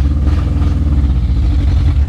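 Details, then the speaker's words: 2008 Chinese-made Tmag mini truck, four-cylinder, five-speed, 12,000 km, which shuts off at 40: idle has an uneven, lumpy beat with a regular stumble in the exhaust pulse; misfire at idle. "12 000 kilometers and if you listen to it's a four cylinder but it's got a Mist to it"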